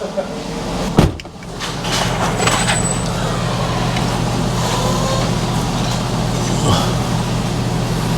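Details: Engine idling after exhaust manifold bolt repair: steady, even idle with a smooth low rumble and no ticking or puffing at the manifold; sounds healthy.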